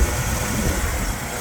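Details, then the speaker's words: Engine idling just after water pump swap from old motor to fix coolant leak, covers off; steady even idle with low hum, no knocks or ticks, no leakage, timing good; normal idle. "Timing is good. Everything sounds great."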